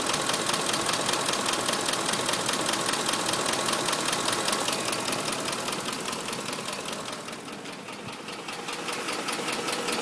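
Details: 2005 Ford F-150 5.4 L, nearly 89k miles, regular Motorcraft 5W-20 oil: fast, even crisp valvetrain ticking at idle, two to three per second, no deep knock; knock now at all RPMs, owner and two dealers suspect cam phaser, unconfirmed.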